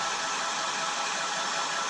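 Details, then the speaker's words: Revlon hairdryer with a vibrating buzz, on low speed: a smooth, steady rush of air with even motor hum and no buzz. Normal on low, but the noise still returns at middle speed, so it was not fixed. "it's not there on slow screen but if I go up to Middle speed you hear it but it's only when he's released it"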